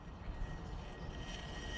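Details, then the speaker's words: 1982 Glasstream bass boat with Chrysler 100 hp outboard after pressure washing: thin, steady high whine over a low rumble. The noise stops when the battery is disconnected, so it is electrical; the owner suspects a fried stator, as there is now no spark. "that sounds like either electrical noise or maybe crank case pressure pushing up past the seal or something guys that noise goes away when i disconnect the battery so some kind of electrical noise under here"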